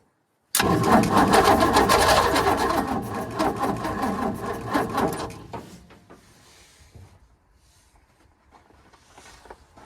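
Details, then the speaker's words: 1942 Ford 200ci first start attempt after 20+ years, fuel poured into the carburetor to bottle-feed it: fast cranking catches into a ragged roar for a few seconds, then sputters and fades out; fires but won't keep running. "All right, she wants to run, guys. She is definitely trying."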